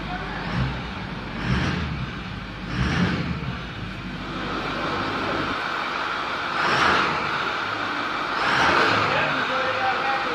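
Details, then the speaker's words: 2010 Ford F350 6.4L diesel after repairing exhaust leaks at both manifolds: blipped several times, revving up and settling smoothly, nice and quiet with no ticking or puffing, no more exhaust leak. "whoo nice and quiet let's rev it up a few times here"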